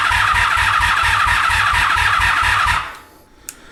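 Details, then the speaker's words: 1983 Honda Magna V45 after oil change and petcock repair, battery low, choke on: steady starter churn about three and a half pulses a second with no firing; fuel petcock left closed. "did anyone guess why the bike didn't want to start at first did anyone guess the fact that I didn't turn the fuel thing backy on petcock garba"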